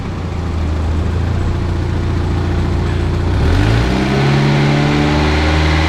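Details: Barn-find Mazda Miata: steady idle stepping up smoothly to a higher even speed with no misses or knocking; it pumped 30 pounds while cranking, judged healthy.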